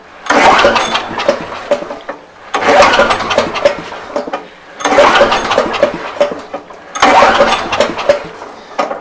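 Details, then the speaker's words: Bear Cat chipper engine, fuel on, carb sprayed: four cranking bursts of about two seconds, churning without catching. Owner suspects flooding or lost spark, possibly from the switch prongs under a small cover; unconfirmed. "I think we might have a flooded situation going on here I'm not 100 sure why I think what ended up happening I lost spark"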